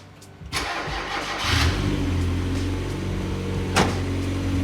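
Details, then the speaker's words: Turbo Mazda MX5 with Garrett 2860R after turbo and engine rebuild, Link plug-and-play ECU tune, dead cold start: short crank, catches at once and settles into a steady, even idle with no stumble; clean, healthy cold start. "the car's dead cold we're going to turn it on now just to show you how well the fueling and the ignition timing has been tuned on this motor because it starts and runs and drives and idles like no tomorrow"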